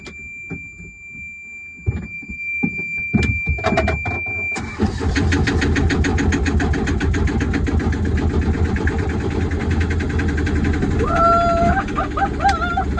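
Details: Wauquiez 29-foot sailboat inboard engine, first start after rewiring the electrical panel (batteries about 12.7–13.2 V): switch clicks, then the engine catches at once and settles into a steady, even idle with a regular beat; normal start and idle.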